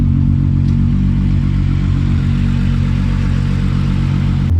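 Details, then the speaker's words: Idle of Miley after a cold start following a Nurburgring off-track at about 115 mph: a steady, even, smooth low hum with no misses or knocks. The fuel/ignition cut from the track has not recurred, a normal idle. "so as you can see and as you can uh here the car still runs perfectly i haven't had that little um like fuel cutter ignition cut since we're on the track which is a good thing"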